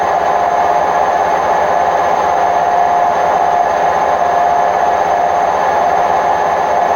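A constant loud roar with a steady whine over it throughout the full-speed spin, typical of worn drum bearings in a front-loader.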